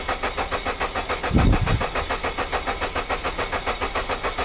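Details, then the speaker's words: Suzuki with a misfire (coils and plugs already replaced): the starter cranks the engine with an even, steady beat of about 3.5 pulses a second, none weak. The earlier suspected cylinder 3 compression problem is gone; compression sounds balanced. "it's like where did my compression problem go here how nice the Cadence is"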